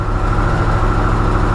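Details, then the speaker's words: Brand-new Harley-Davidson Sportster S started right up after charging its battery for a few minutes (drained by the key fob; owner thinks the battery is going bad): steady low throb with an even pulse, no misses or knocks; normal idle. "started right up well I guess my battery's going back but regardless this is a brand new bike should not be going this bad period"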